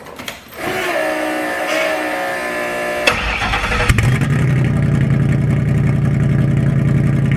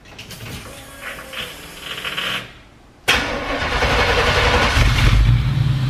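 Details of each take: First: V8: starter catch, then a harsh booming unmuffled rumble, very loud; packing pulled out of one exhaust muffler, owner unsure if it affects running, causing the loud exhaust. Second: West Coast 65 Shelby Cobra replica V8: starter catches at once, then a deep, steady, lumpy burble settling into an even idle; normal start and idle, engine sounds healthy.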